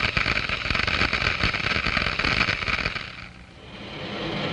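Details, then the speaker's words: Harsh, gritty crackle with sharp irregular pops over rushing flow in a glass Venturi as flow rate rises; water boils at the low-pressure throat and the bubbles collapse entering the higher-pressure diffuser: cavitation noise. "The noise is generated by the collapse of these bubbles as they move into the higher pressure in the diffuser."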